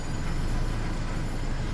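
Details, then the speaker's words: Old Subaru Outback after banging on the fuel tank temporarily revived the failing fuel pump (replacement pump planned): smooth, steady low idle rumble with no misses and good throttle response; running properly again. "Now she's running right. You can hear it. The idle's nice and smooth. And when I hit the gas, good throttle response."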